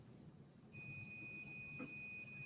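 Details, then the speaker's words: Digital multimeter set to continuity (sound symbol), test leads touched together: after a short quiet moment a thin steady high-pitched buzzer tone starts and holds, circuit continuous. "but you probably can't hear it but right now it's buzzing i don't know if you can hear it but hook yours up turn it to the position where you have a little this is the universal symbol for sound hook it up and see if if you get the buzzing sound"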